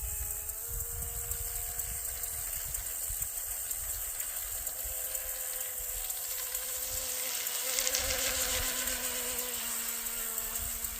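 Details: Wooden shrimp rigger RC boat on first water run, TP Power 2967 5250kv motor, Shark G2 100A ESC, modest prop: high steady buzzing whine at even full-speed pitch with water hiss underneath; drivetrain pulling cleanly, no knocks.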